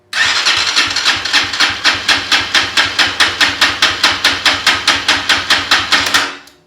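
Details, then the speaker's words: KPR200 motorcycle compression test, wide-open throttle cranking, after setting intake valve lash from zero to 0.08 mm spec: strong, even beat about two strokes per second; 192 PSI versus roughly 140 before. "wow what a difference I've got a 194 no 192. 192 pounds of pressure PSI"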